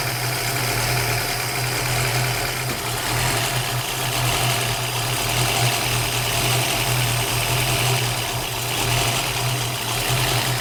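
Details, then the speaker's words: 1965 Ford Mustang 289 V8, warm idle with Summit Racing M2008 carburetor before replacement: idle rises and sags slowly, roughly once a second, tach never settling; surge from vacuum leak at the carburetor's leaky throttle shaft. "yeah if you can't notice the uh The Surge from from out here on video look at the tack yeah that's a vacuum leak"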